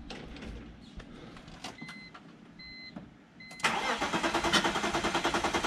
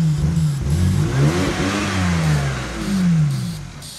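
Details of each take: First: Previously non-running car after a crank sensor fix, injectors confirmed spraying and fresh gas added: warning chimes, then it cranks, fires and settles to an even, steady idle with smooth revs; a likely loose fuel-rail part was also disturbed. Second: Non-running BMW, spark restored after a crank sensor fix: catches on sprayed brake cleaner, revs unevenly rising and falling for about 10 seconds, then fades; it won't run without the spray, so fuel isn't getting through.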